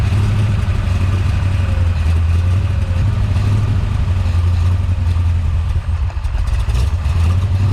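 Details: Big-cam big-block Chevy with a rebuilt Holley 750 double pumper: deep, lumpy V8 rumble that sags and stumbles around six seconds, kept alive only by pumping the accelerator while running very rich yet seemingly fuel-starved at idle; idle mixture screws to be checked.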